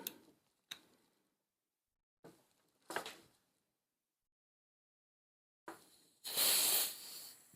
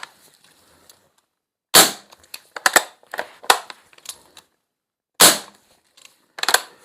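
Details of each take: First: Lee Enfield replica .177 BB CO2 magazine with a rotted seal bodged from a modified Crosman seal, silicone oil, fresh CO2 bulb: short puffs, then a loud sharp hiss dying away; CO2 leaking past the magazine seal before it seals. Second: Lee Enfield CO2 .177 BB replacement magazine, rotted seal bodged with a modified Crosman seal, Umarex CO2 bulb, dry-fired without BBs: sharp clean gas cracks with no hiss between. Normal dry fire, magazine now sealing.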